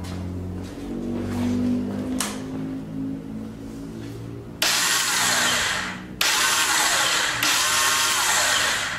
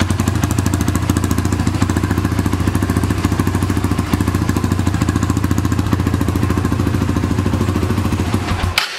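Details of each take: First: 2006 Honda TRX300EX, wrong starter fitted: two harsh, gritty grinding bursts as the starter engages without catching; owner fears the starter gear dropped off. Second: 2006 Honda TRX300EX quad, cold, runs a steady, even single-cylinder thump at fast idle with no knocks or misses before shutting off, after exhaust stud repair and starter one-way bearing work; sounds good.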